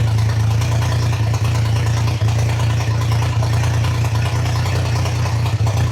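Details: Triumph Trident T150 triple, first start, cold, choke open, idle screw being wound up before carb adjustment: steady low drone held a bit fast with slight waver and no clean settle; owner notes the recording sounds stranger than in real life.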